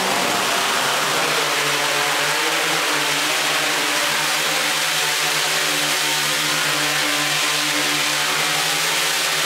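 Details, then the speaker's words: QAV500 quadcopter with Pixhawk on 6S LiPo, untuned, first garage hover in stabilize mode: even loud rushing prop drone with a steady buzzing note, no pulsing or surging; motors holding a stable hover. "so let's go ahead and get in the air we're in stabilized mode"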